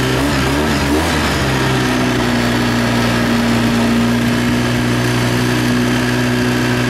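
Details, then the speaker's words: ATV test ride after servicing and reassembly, which had snapping and crunching noises before: a steady drone with an even tone and no snapping or crunching, so the drivetrain now sounds healthy. "Sounding better for snappy, crunchy wise. It was pretty bad before, so let's go for a rip around the field, I guess, here and see if I hear anything funny."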